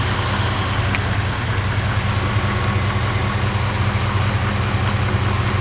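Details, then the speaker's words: 2003 Lincoln LS brushless electric fan fitted to a 1999 Dodge Durango, speed set by a PWM signal, running barely on at low speed yet moving a lot of air: steady, even airy whoosh over a low hum, no catches or scraping; running smoothly. "yeah it's just the fan just barely spins and it uh blows a lot of air it's also very efficient cuz it's a three-phase probably 3phase but it's definitely a brushless motor"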